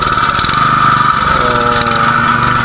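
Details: Robin 6.0 hp single-cylinder gasoline engine, previously a won't-start, now running at a steady speed with an even note and constant pitch after a three-step troubleshooting; it runs cleanly with no misfire.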